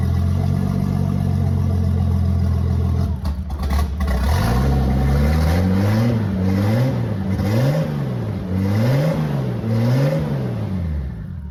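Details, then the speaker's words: BMW E30 325 just fitted with a turbo kit, open downpipe, no exhaust yet: loud raw exhaust with revs hunting up and down in a slow surge after start; idle likely needs adjusting due to new charge piping, not confirmed. "So obviously, idle's probably gonna need a little bit of adjustment now because we have different charge piping and everything is coming to the engine differently."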